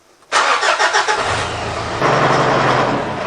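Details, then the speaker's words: Mitsubishi Triton 2.5 L 4D56 diesel, in for intermittent overheating, cold start after glow plug wait with cooling system holding about 19 psi: brief cranking, then a steady even idle clatter, no big white smoke cloud as before; normal diesel start. "Well, it doesn't look excessive to me apart from the normal startup of a diesel. There's no big white cloud of smoke like there was before, so that's a good sign."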